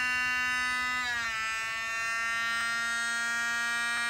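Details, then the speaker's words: DLP rear projection TV colour wheel after lubricating: high whine with ringing overtones dipping and wavering, unable to regulate speed, worse than before; motor may not be repairable. "seems to be having problems uh regulating the speed as well this thing may not be repairable unfortunately"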